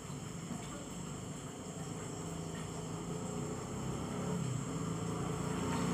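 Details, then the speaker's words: Yamaha RX King/RXS two-stroke, sat unused one year, hard starting and stalling from intermittent spark; now runs after swapping to an RX CDI, with spark at the coil lead; even buzz building as revs rise, no misses: normal running after ignition fix. "Nah, ini setelah sudah hidup tinggal proses merapikan kabel-kabelnya, membungkus kabel-kabel."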